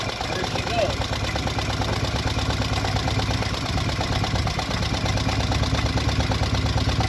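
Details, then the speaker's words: Traditional boat launch engine, first start after sitting, rigged with temporary water and a temporary gas tank: steady low chugging idle with an even beat and no knocks or misses. Slightly shaky because the mounts need adjusting; normal idle. "running really nice a bit shaky because we gotta change uh i mean adjust the mounts a little bit"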